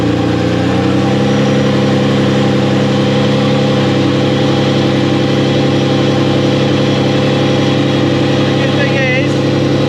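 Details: US-model Ferrari Testarossa (Ratarossa), in a field after refitting the alternator belt: smooth even engine note, no belt squeal or slap; battery warning light goes out, belt bouncing, to be tightened slightly.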